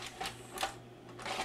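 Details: Magnavox ZV427MG9 DVD/VCR (Funai) after replacing a shorted capacitor and damaged transistor, with the mechanism unmounted on the bench: crisp clicks and short whirs on stop, rewind and eject, with no binding. It works properly.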